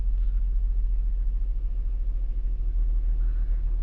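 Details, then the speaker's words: 2002 Nissan Maxima 3.5L, P0335 crankshaft position sensor long-crank complaint, after repairing signal wire shorted to ground beneath engine cover: quick crank then low, even rumble with no misses or stumbles; normal idle, fix confirmed. "so this crank was not a long crank it was a quick crank which is we we basically have confirmed the the fix"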